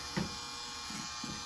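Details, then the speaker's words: Small submersible pump, plugged in to drain water, rarely used: constant low electric buzz and hum with a few splashes; runs evenly and moves water, normal pump run. "Drop a little pump in, plug it in, turn it on, and that should start pulling the water out."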